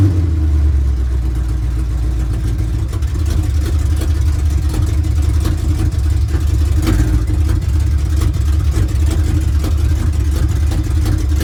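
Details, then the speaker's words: 1970 GMC with big-block V8, sat 10 years: deep lumpy idle with uneven beat, one cylinder dropping out now and then; miss at idle, cause not yet found. Transmission also slips in reverse. "and i can tell there's a miss when it's idling so we got some fun things to play with on this one"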